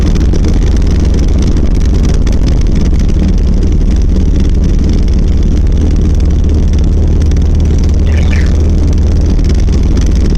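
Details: 1990 Volvo 740 while driving: a heavy low rumble and loose rattling vibration that grew worse over six months; traced to the rattling driveshaft, with the center driveshaft support and/or bearing at fault.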